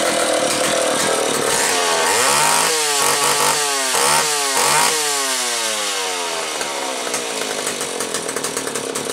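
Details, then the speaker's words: McCulloch Pro 10-10 chainsaw after fixing the bad cylinder and the bowed oil pump gasket that caused a vacuum leak: two-stroke revs up and down cleanly with crisp pitch changes; good compression, healthy running. "This engine that's on here has plenty of compression. So, let's have a listen."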